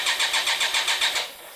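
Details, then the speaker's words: BMW K-series motorcycle (K75/K100/K1100) stored all winter with flat cylinders, choke on, fuel pump heard: quick, even cranking that never catches, no-start from dry, compression-less cylinders; fix is about 10 cc oil per cylinder. "We hear fuel pump? Fuel pump's there. No running."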